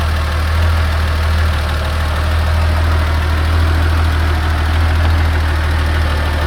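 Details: 1986 Porsche 911 3.2L, hot engine at idle: a steady low idle with light, loosely regular tac-tac ticking about four times a second from the upper engine. The cause is undetermined.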